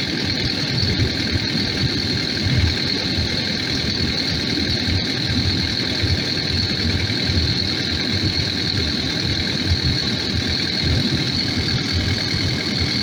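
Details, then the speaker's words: Takeuchi TL12V2 diesel at -30°C after diesel additive and cycling key to pump fuel; steady even idle with constant high hum, no stumbling, longest run so far; owner suspects fuel had gelled, possibly at tank pickup screen. "this will see if she stays running so far that you might have might have got her well this is the longest it's run so far"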